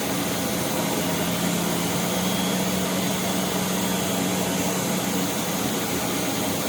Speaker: I turn it on and just hold it with one finger and that's it